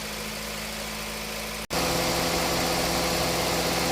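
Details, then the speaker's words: Honda City idling with the AC running after an AC compressor repair with compressor oil flush, new drier and new belt: a smooth, even low hum with a brief dropout, engine temperature not high, normal idle. "มาเดินเบาในรถตอนนี้ได้อยู่ขอโทษนะครับตอนนี้เราเล่นเครื่องนะของเล่นเครื่องได้อยู่เขตตรงสาความร้อนไม่สูงนะครับ"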